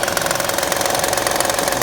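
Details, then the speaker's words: 2009 Honda Pilot 3.5 L with the timing cover off, recorded at idle: a rapid, even knocking clatter tied to engine speed. The customer feared a bearing failure, but the cause is a bad timing belt tensioner bouncing on its mount. "and you can see the tensioner jumping around real bad. Let's see if I can do this and keep filming here. Quiets it right down. It's just that tensioner that's bad."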